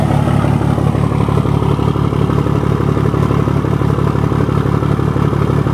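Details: 1975 Scania truck diesel just after fitting the cylinder heads, started on a cold day (about 10 °C); oil pressure 7.5 and holding: deep, steady clatter at an even idle of about three beats per second, no misses or knocks; healthy.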